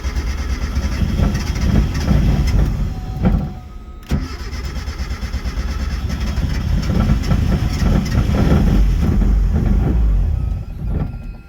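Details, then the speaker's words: Car said to be dyno-ready barely starts, stumbling and surging unevenly, sagging almost to a stall before catching; still has a misfire and won't stay running. "so I was told the car also starts and runs and uh right now it does not want to start"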